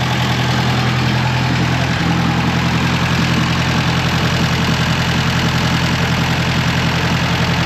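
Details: 1950s–60s "doodle bug" (possibly a golf-course or highway mower) idling after about 2 gallons of coolant were added, water pump not turning; oil reaching all rocker arms, valve gear quiet with no ticking, head around 180°F, thermosiphon apparently circulating. Steady, even low idle; healthy.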